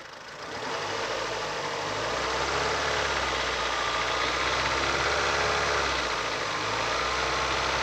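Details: Ford Fusion with a Duratec 1.4 engine, 118,000 km, held at 1800 rpm: steady running with a faint, fairly regular tapping about three a second, clearest from 34 seconds in; owner suspects the valves.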